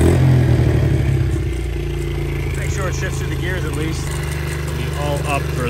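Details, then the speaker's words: Honda XR70 single-cylinder, smoking, low compression, rings suspected; after about 10 minutes running: loose rattling clatter about four beats a second over the running note, cam chain slap; chain found floppy on its sprocket. "a lot of engine noise going on right now this is after running for about 10 minutes it's really a lot of cam chain slap it sounds like"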